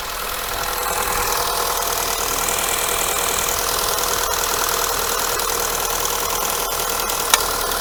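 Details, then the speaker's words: Skoda Yeti 1.2 TSI idling after timing chain and oil pump chain replacement: light quick ticking over smooth idle, no heavy knock or rattle; runs much easier, high-pressure fuel pump still to be checked. "работает гораздо легче но тайна воды я слышу давайте сравним звук до и после"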